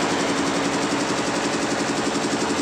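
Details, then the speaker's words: Nancang diesel, running after the cracked gasket (perpak deksel) was replaced. Before the fix it was hard to start, failing even after four pulls. Now an even, rapid diesel clatter at constant speed with no misses, knocks or surges. Runs normally. "mudah-mudahan nanti mudah hidupnya sudah ganti Pakde kerusakannya karena pecah tadi Oke sudah hidup normal"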